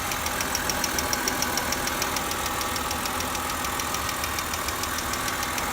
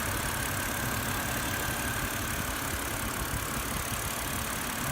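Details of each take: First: BMW X3 petrol engine at idle before adding Lucas Oil Stabilizer: a really loud, sharp, even lifter ticking of about three to four per second. The ticking is gone after treatment. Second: BMW X3 petrol engine at idle after adding Lucas Oil Stabilizer: smooth, even idle with no top-end lifter ticking; loud ticking was present before the treatment.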